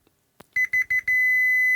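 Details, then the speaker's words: Gibson G101 combo organ repair: continuity tester gives three quick beeps then a steady tone, showing the minus 22 volt rail shorted to chassis ground, likely through damaged wire insulation. "that's um unpleasantly Short Circuit to chassis that's our minus 22 volts see it's down the ground"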